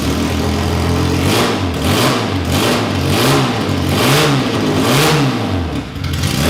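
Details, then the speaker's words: Classic Mini race car engine with a big carb, no exhaust or breathers, on its first start: a loud open-pipe cold idle holds steady, then snaps up and drops back cleanly on each blip. It is crisp, free-revving and normal. "Right, so that was awesome to hear the engine running. It sounds really snappy when you rev it up. It's really free revving and sounds like a race engine should."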